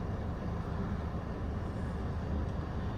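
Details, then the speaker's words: OutEquipPro camper AC, 90°F sunny afternoon, set to medium at 76: compressor kicks in with a steady, even low hum and rumble, no knocks or rattles; running normally and soon blowing cold air. "Yeah. The compressor kicked in."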